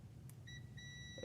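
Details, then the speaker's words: Multimeter on diode/continuity setting, leads touched together to check meter before testing Mazda RX-8 six-speed manual neutral switch (P0850 code, cold-start surging idle); clean steady high-pitched beep shows the continuity tester works. "what that's going to do is every time these two leads touch it's going to make a sound"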